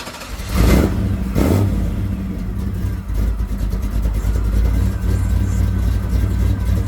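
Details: Impala SS after new spark plugs and wires, with a burnt, exposed plug wire found that was suspected of causing power loss: two quick throttle blips, then a steady, even idle with no stumble or misfire. The engine now runs cleanly.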